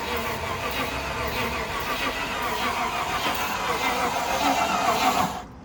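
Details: Cheap Land Rover Discovery 1 that had lost spark, owner wondering whether it was sabotaged: steady starter whirr for about five seconds that never catches, then cuts out; a no-start caused by the alarm immobiliser lockout.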